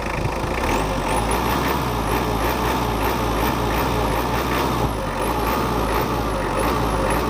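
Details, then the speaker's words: Mitsubishi 4D56 turbo-intercooler diesel after overhaul for compression failure: even, settled idle with smooth low rumble and faint high chirp, no knocks or misses; smoother and more responsive than before, healthy. "ini adalah hasilnya dan suaranya masih lebih halus dan kemarin kita coba lebih responsif"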